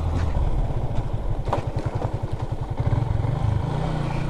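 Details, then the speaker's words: Yamaha Sniper Fi 150 riding over potholes before front fork repair: steady low engine thrum with sharp clunks from the front shock; fork knocking, later fixed by rebuilding with a spacer nut. "Talaga to kang shock sa unahan, di ba? Ay ingay niya, kunting lubak lang na madaanan."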